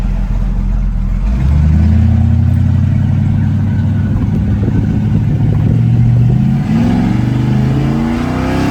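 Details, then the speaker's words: Wife's Willys hot rod, small-block V8, after a tune-up retiming from about 25° initial and 40–45° total advance: deep rumble revs up smoothly and much faster with no stumble or break-up. Normal acceleration. "It's revving It's revving up a lot faster, do you hear it?"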